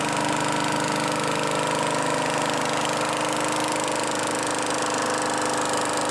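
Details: Craftsman Eager 1 mower 917.383241, final run after tightening hardware and new filter assembly; steady, even hum with clean constant pitch, no misses or knocks. Normal running.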